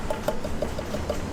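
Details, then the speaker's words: Carbon bicycle frame tapped: light taps ring mid-pitch, last two brighter, because tube wall thickness and shape vary, not a crack; tap testing is unreliable on bike frames. "so this lovely tap tests which people love doing don't do tap testing no no tuck testing is for airplane Wings which are straight and consistent listen to this"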